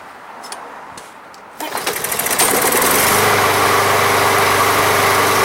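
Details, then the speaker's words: Briggs and Stratton lawn mower (MTD), no primer, non-running: after a quick spray the engine catches and runs with quick even firing, only on the spray, so fuel isn't reaching the carb. "let's a pulse it's not gonna rock all right so here we go just a little bit of go-go juice"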